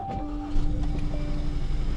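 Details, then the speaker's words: 2018 Hyundai Sonata with a cylinder 3 misfire, plugs already changed and coils apparently swapped, idling rough and lumpy with a missing beat: a dead miss. "That's a dead miss."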